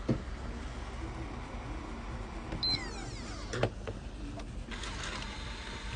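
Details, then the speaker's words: PlayStation 4 disc drive that made odd noises and wouldn't read: motor whirs and clicks as the disc ejects, but the loading mechanism doesn't retract because of a missing return spring; fitting the spring fixed it. "bien el disco sale Pero el mecanismo no se retrae Por qué Porque le falta el bendito resorte"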